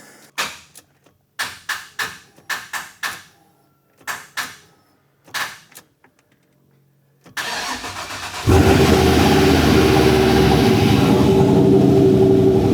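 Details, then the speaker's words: Freshly installed 6.2 LSA V8 in OBS truck, first start: about ten cranking bursts, then fires and settles into fast even idle around 1100 rpm with oil pressure; sounds good, slight lifter noise mentioned. "It's idling about 1100, but man, that sounds really good."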